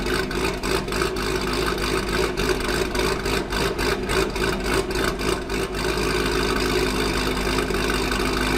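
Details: Chevrolet Corvette Grand Sport LS3 V8 at first startup after a cam install, with Corsa exhaust: lumpy, loping idle with a steady choppy pulse and no knocks or ticks, a healthy cammed engine settling in.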